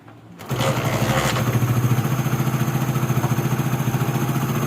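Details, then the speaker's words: 2016 CD70, which had poor pickup and a rough start, after the timing chain was replaced and cleaned: steady, even single-cylinder putter about 3.5 beats a second, with no ticking or chain rattle. The fault was blamed on the timing chain being out. Normal idle. "तो आपने इसका sound भी सुना इसका जो मसाला था वह time out होने की वजह से यह मसाला कर रही थी"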